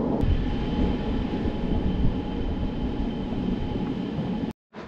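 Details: SIPMA roller grain crusher after a DIY repair welding short bead pieces onto a roller, with the gap adjusted: dense, steady rumbling drone of rollers crushing corn, no knocks or surges. It runs normally and fast, with rollers perhaps slightly too tight; corn comes out nicely broken.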